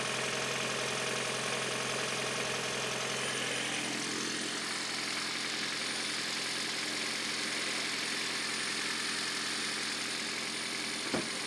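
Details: Toyota Prius 3 on cold start: engine idles with a bright tinny rattle and loose knock about three times a second; engine knocking on cold start.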